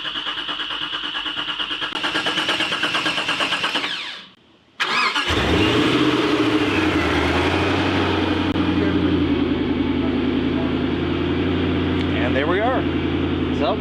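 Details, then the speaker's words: 2006 Ford GT V8, barn find that sat 15 years, being revived: about four seconds of cranking, then it catches and settles into a smooth, even fast idle, left to warm up before fluid checks. Normal cold start. "we'll just let the engine do its work, get everything back up to temperature, and we'll check out our fluid levels."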